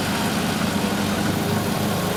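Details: Uneven idle with a light rapid rattle from worn intake shifter rod bushings plus a vacuum leak at the green shifter rod gasket. Replacing both the bushings and the gasket made the engine run well.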